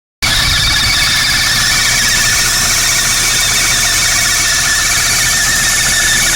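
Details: VW MK3 GTI with 2.0 engine, about 240k miles, running: a loud, continuous high-pitched screech from the serpentine belt area, which started suddenly. The owner is unsure whether the belt is the cause; the cause is not confirmed.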